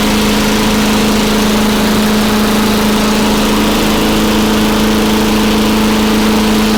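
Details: Very old Craftsman Eager 1 mower with a Tecumseh engine (rear spark plug), running after a choke-to-primer conversion and a few extra primes. A loud, even drone holding one steady hum with no misses or hunting; normal running.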